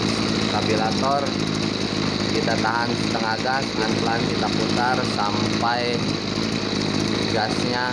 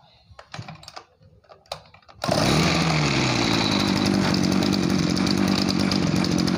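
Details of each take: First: Two-stroke agricultural backpack sprayer engine that lacked power and bogged on throttle, during air-fuel mixture screw adjustment after cleaning: a high buzz swells and sags, running heavy and blubbery. Mixture too rich. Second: Small two-stroke farm sprayer engine, repaired for weak throttle response, throttle worked by hand, choke off: catches on one pull and settles into a steady, even buzz; healthy start.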